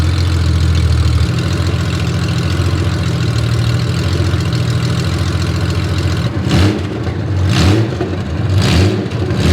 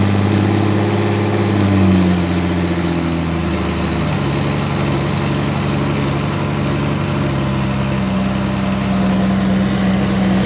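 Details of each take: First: Honda Gold Wing six-cylinder running on open header pipes to cure fresh VHT paint: loud, raspy drone with a rattly beat that cracks back on throttle blips. Harsh open-header exhaust note. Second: Derelict Honda Gold Wing flat-six, first start after cam belt installation, on open header pipes, tipover sensor secured upright: smooth, even idle with clean throttle blips, no rattle or leaks; cam belts installed correctly.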